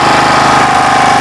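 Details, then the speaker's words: Generator unused for a year, after the carburetor work and fuel flow check, started on choke: steady, even engine drone with a constant tone, no sputter or misses; idling smoothly and normally, repair successful. "Ternyata hidupnya itu normal sekali tanpa ada suara dredet."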